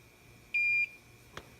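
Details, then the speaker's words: Hakko FX-951 soldering station with its speaker damped by 3M double-stick tape: a single soft, lower high beep of about a third of a second signalling the tip has reached set temperature. "now to turn it on we can still change the temperature without the card and there's the beep and there's the sleep so we've reached temperature"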